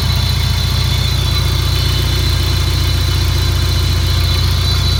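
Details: Peugeot 306 GTi-6 engine at idle: fast, even rattle with a thin, constant high screech; source undetermined.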